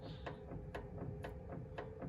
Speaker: you see that up and down movement you hear the clicking so that is a sign that this part is wore out so that is our uh inner drag link end